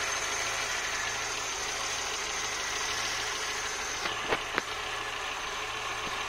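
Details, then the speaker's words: 1984 Citroën BX after replacing original seized thermostat that caused overheating and coolant spraying: steady even warm idle with constant fan air rush and light handling knocks, no coolant pool, runs normally. "and as you can hear the fans just kicked in and we don't see a pool of coolant which is good news"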